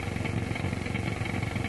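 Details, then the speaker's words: Grundig Transistor 1001 portable radio after push-button switch cleaning, all bands working, tested indoors on long wave: coarse pulsing low buzz with no station audible, powerful interference from an unknown source. "You can hear some of that powerful interference right"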